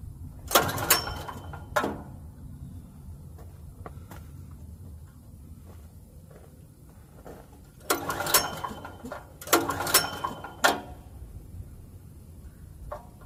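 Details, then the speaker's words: Generac GP5500 portable generator, bought used about a year ago and left sitting; several short rattling recoil pulls with quiet gaps, engine never catches; no-start because the fuel tank is bone dry. "all right it's not really starting let's see if we can try something else all right so this is just a lesson just to check your Basics always all right so this thing is bone dry so we're going to get some gas for this"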